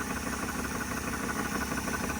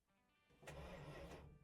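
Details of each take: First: 1979 Dodge Ramcharger V8, ex-plow truck, just started after sitting 15+ years, air filter off: steady, even idle with a low smooth burble and no knocks or ticks; motor quiet, normal idle. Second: 1979 Dodge Ramcharger, ex-plow truck sitting 15+ years, starter pushed via under-dash button: dull mechanical churn rises and holds about a second without firing; engine turns over but is not yet started.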